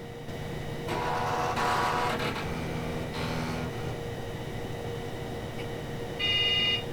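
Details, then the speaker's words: PC rebooting with a floppy in the drive, Creeper DOS virus installed: short beep, brief buzzing chatter as the floppy head steps back and forth during the seek test, another beep; normal floppy drive seek at boot. "Okay, we're going to go ahead and restart so you can all hear the seek test and truly get the Creeper DOS virus underway."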